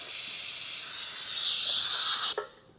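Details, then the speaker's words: Eastwood QST 3060 scroll air compressor leak check: bottom tank drain valve opened, sharp steady air hiss then clean cutoff; valve closes completely, no leak. "So I'm going to check the bottom drain valve."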